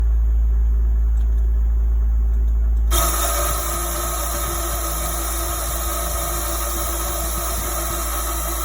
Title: PROVerXL 4030 spindle making noise